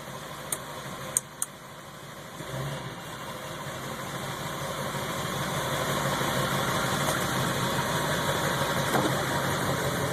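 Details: Ford 7.3 Powerstroke diesel idling higher than normal and rough, surging in gear; a new fuel filter and additive helped only two days. Raised idle swells after a few clicks, uneven beat underneath; owner suspects a bad ICP sensor or FPR.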